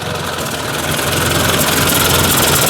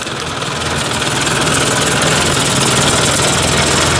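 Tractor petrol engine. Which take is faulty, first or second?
first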